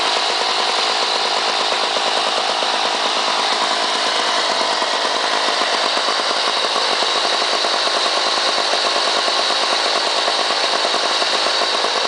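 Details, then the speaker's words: Lawn Boy 8241 two-stroke mower from 1984 with blade brake clutch, started after priming two or three times (fuel line leak). High, buzzy note holding steady with no load, crisp even firing. Normal. "you'll notice that has a different sound this one starting up anyway to start it up usually have to Prim it two or three times and then pull it find the compression there it is"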